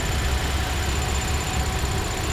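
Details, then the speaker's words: 2016 Toyota Tacoma TRD Off-Road 4x4, 1,681 miles, clutch fan: warm idle around 500 rpm with a faint thin high chirp over the engine hum, present at lower RPMs; owner suspects a pulley. "so lower RPMs you get a chir"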